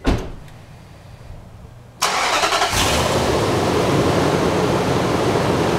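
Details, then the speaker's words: Nissan Titan just after a K&N air intake install: quiet, then a clean start, steady idle and crisp revs; throttle response feels quicker; healthy engine. "well one of things for certain when I push the gas pedal seemed to respond a little quick spooling up so that'll be fun"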